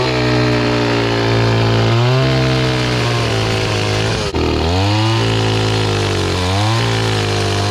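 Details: Restored old Stihl 026 two-stroke chainsaw after carburetor cleaning, cutting wood with a rusty, dull chain: strong buzz sags in pitch as it bites and revs back between cuts; oiling properly, running well.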